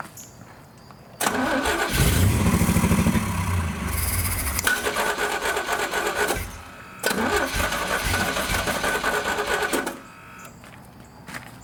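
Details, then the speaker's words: Commando with Sniper EFI, first start since getting it back, on starter fluid: cranks, runs rough a few seconds, sags and dies, fires briefly again; fuel starvation suspected from the Sniper, the lines, or long sitting. "Alright, so as you guys can hear, it is obviously a fuel issue. I don't know exactly what it is. It seems to just not be getting quite enough of it."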